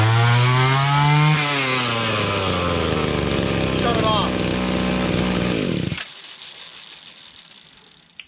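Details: Echo (Kioritz) GT-200B two-stroke string trimmer, after recoil starter rope repair and fresh line on the head: a high buzz that revs, settles into a steady, even run, then cuts off cleanly. Normal running.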